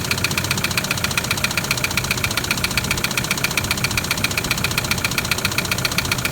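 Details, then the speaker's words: Toyota Land Cruiser LC120 diesel at idle: hard, even knock about 2.5 times a second, severe internal damage from neglected maintenance; not a holed piston, pistons possibly involved, cause suspected, not confirmed. "so i'll go and start the engine have a listen to this i think you've heard that before haven't you no it's not a crack piston with a hole in it but the pistons may be"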